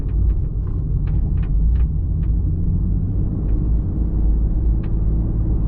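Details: Toyota MKIV Supra driving on the road: sharp irregular light clicks over steady road rumble as the hatch chatters on bumps; hatch rattle.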